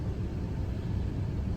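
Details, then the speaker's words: 2005 Ford F-150 Lariat 5.4L Triton, after replacing serpentine belt, tensioner and idler pulley for an engine whine: steady low hum while revved, no whine or squeal; repair fixed it. "Let's rev it and see if we get any noises. Not a noise."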